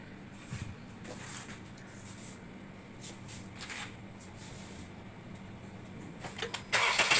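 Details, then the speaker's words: Honda Civic after overheating from an empty, leaking radiator, with four new ignition coils fitted: starts and settles into a steady, even idle with no shake, stumble or missed beat. The vibration and misfire after overheating are fixed; the radiator leak is still to be repaired. "Nah, enak ya kan, stabil, nggak getar, nggak pincang. Oke, masalah getar dan pincang setelah overheating sudah terselesaikan."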